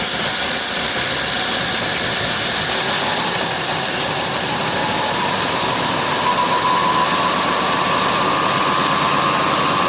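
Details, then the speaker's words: 1968 Ford LTD 390 FE 2-barrel V8, off the road since 1999, running on a cold start. A loud steady roar with a little throttle, the tone creeping up near the end, no knocks or misfires; runs fine. "Still runs pretty good though, sounds good."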